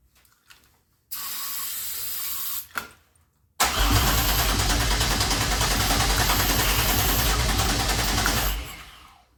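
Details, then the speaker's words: 2004 Grand Am with 3800 supercharged V6 and 5-speed swap, first start attempt with the intake boot off, feeding directly into the throttle body: steady cranking about three turns a second for several seconds with no catch; the key wasn't on, so there was no spark. "So close, y'all. So close. No. Alright. The key wasn't even on. No wonder it wasn't trying to spark."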